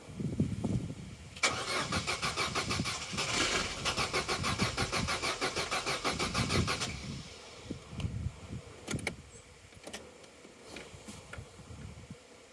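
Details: Vauxhall Corsa B after sitting 4–5 years: a steady starter churn at about three turns a second with no catch, then it stops; no fuel pump sound was heard at ignition on, and a seized pump is suspected.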